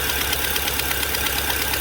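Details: Fiat Palio Fire 1.0 8v idling: sharp fast ticking over a hissy idle that sounds like engine knock; soapy-water test confirms a leak from a burnt exhaust manifold gasket.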